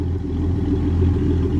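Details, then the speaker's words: 1981 Ford Mustang with a carbureted 200 inline-six just after a reluctant cold start: a deep, steady low rumble with even firing and no knocks or misses; running normally. "But as you can hear, she just sounds the business."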